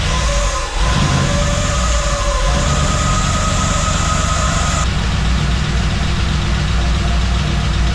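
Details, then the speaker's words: LS V8 on first start after top-end rebuild replacing failed lifter, exhaust not yet connected, smoking: busy fast top-end ticking over loud idle; owner unsure whether valve train noise is normal with freshly changed lifters. "And then if you can hear some noise, and I don't know if it's normal because we just changed the lifters out or what, but it's definitely a lot of valve train noise."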